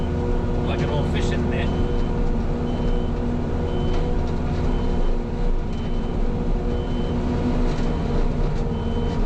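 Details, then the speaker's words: New mulcher on a diesel loader working forward through dirt: short high beeps about every 0.7 seconds continue over the steady diesel drone, not yet troubleshot; backup alarm sounding continuously. "And yes, I know you might be able to hear the the backup alarm. Uh, I just haven't uh, let's just say trouble shot that yet."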